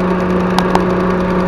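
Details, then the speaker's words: Proton Saga BLM at idle after a timing belt and water pump job: a light, quick ticking over a steady idle hum sounds like tappets but comes from the idle air control sensor on the AFM box, which is often replaced. "Sebenarnya benda ni yang bunyi. Ni dekat kotak AIFM. Dia sebenarnya bunyi macam tepek ni ada dua tempat sensor."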